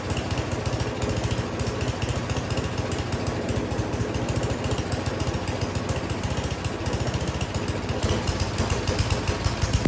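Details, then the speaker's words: Snow blower small single-cylinder engine after carburetor cleaning still surging, speed rising and falling instead of holding steady; hunting idle from cheap carburetor, new carburetor to be ordered. "All right, I don't like it. Even after cleaning it, you can hear it surging there. It is not running right."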